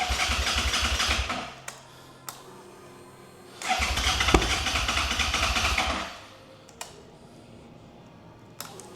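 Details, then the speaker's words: 2011 Suzuki SFV 650 Gladius on a jump pack with a drained battery: two spells of brisk, even cranking, not catching; cranks but will not start. "So, it's kind of trying to fire up. you do get the occasional like it it kicks into life a little bit but generally on the whole it's not running."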